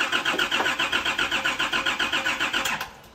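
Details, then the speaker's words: Nissan GQ Patrol on LPG and petrol: steady starter cranking at about four turns a second, no firing, then stops. Seems to be getting fuel, so probably no spark, distributor related; a wire was later found as the issue. "it seems like it's getting like fuel right like it's got It's got LPG and petrol we can hear the LPG fire on which means it's probably not getting spark and that's distributor related"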